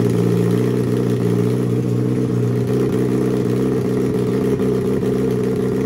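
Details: Turbo Suzuki Hayabusa engine with Power Commander/AutoTune, at 2000 feet: fuel leaned for smoother idle, left a little rich for sea level; settled steady idle with clean even pulse, no stumbling or hunting.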